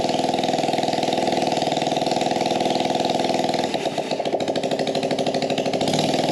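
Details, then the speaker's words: Gas-powered Power Wheel build with a small engine, no air filter on the carb and no muffler, started after a shot of brake cleaner: fast, uneven buzzing that stumbles and surges; rough running, probably lean (suspected). "now this thing isn't running 100 great because it's probably running lean we got no air filter on the carb so nothing restricting the air coming in"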